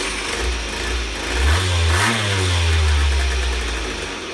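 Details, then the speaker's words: Water-cooled Peugeot Ludix Blaster two-stroke moped, non-runner with no spark, fixed by reattaching the disconnected ignition coil wire; steady idle buzz, revs up and settles back cleanly with even beat. "look at the coil and the yellow wi and the coal of course wasn't attached I reattached it and then I found that it did this"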